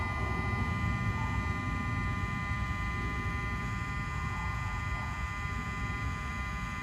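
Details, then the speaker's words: Mercedes 600SL, ignition on after changing throttle bodies and E-gas module: steady electric hum whose tone shifts as throttles close fully to learn their stops; normal relearn. "as you heard I don't know if camera picked it up but there was this change in tone of throttle bodies you can actually hear it how they kind of they they basically closed down all the way to learn their stops"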